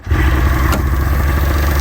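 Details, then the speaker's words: Polaris Indy 680 Ultra near-700cc two-stroke snowmobile; starts instantly and holds a steady, even two-stroke idle with no misses or stumbles. "it starts right up. Good idle."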